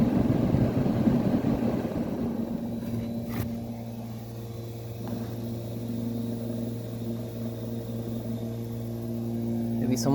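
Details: Kenmore (Whirlpool) 10K medium-chassis window air conditioner blowing very cold air. Steady low compressor hum under an even fan rush, with no knocks or rattles. Normal running.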